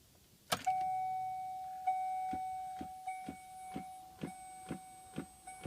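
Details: 2006 Pontiac Solstice: sharp click repeating about once a second with faint steady electrical tone behind, present all the time since battery replacement; source unknown.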